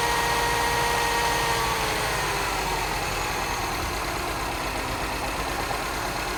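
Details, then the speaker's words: Cheap non-running Mini Cooper S with a completely dead battery, just started off a jump pack: idles unevenly with a stumbling beat under heavy hiss and visible shaking; misfire, cause unknown. "Yes, you can hear that misfire. And you can see it's got a misfire as well with all that shaking. Doesn't sound too bad though."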